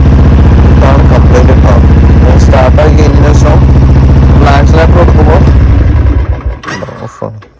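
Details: Single-cylinder motorcycle carburettor bike with water in the petrol tank and carburettor, choke pulled, accelerator won't pick up; chugs unevenly, stumbles when opened up, then fades and dies; misfire from water in carburettor.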